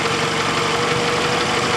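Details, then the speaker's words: Car that ran low on oil (bottom mark) after feeling funny while driving, idling after sitting: light, quick tap-tap-tap over steady idle, faint cold but getting louder, first heard decelerating off the parkway; valvetrain ticking, something damaged from poor oiling. "you hear that tap tap tap tap tap tap tap tap well something got damaged somewhere i was hearing that tap tap tap as soon as i decelerated off the parkway"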